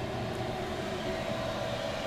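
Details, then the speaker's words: Chinese diesel air heater installed in a motorhome, turned down from 5 Hz to a 2 Hz pump rate with outside air about 8°C: a steady combustion-fan whoosh with a soft, constant burner roar; running smoothly at low speed. "I'll just run it down now onto a low speed. I'm down at 2 hertz."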